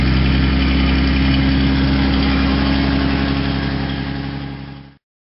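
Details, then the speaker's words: Rally car after the Gordon Bennett Rally, starter motor refitted (fifth attempt): spins over briskly, turning pretty quick, and catches into a steady, even beat, then dies away; starter working properly. "yeah see it's turn yeah it's turn pretty quick all right that's that's what you need"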